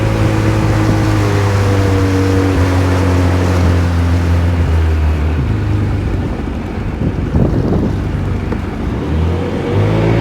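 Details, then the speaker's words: Sea-Doo GTX Di two-stroke watercraft under way after repairs to throttle position, bearings and fuel injector, revving past 5200: steady drone, pitch holding then shifting smoothly with throttle, normal running. "Oh, the sweet sound of success. Well, there you have it."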